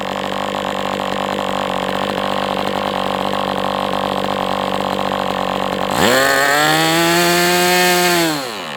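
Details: MDS 68 FS Pro model engine on a break-in run, heavy exhaust smoke: steady even buzz, then a clean smooth rise in revs that holds. Running well, better than with the idle bar plug, after carb tuning.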